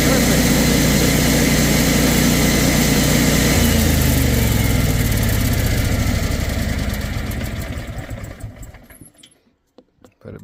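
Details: Kohler 14kW generator, model 14RCA, after fixing loping from a dried-out, broken bushing/clip; holds a steady, even speed without hunting, then winds down and stops cleanly; steady governed speed.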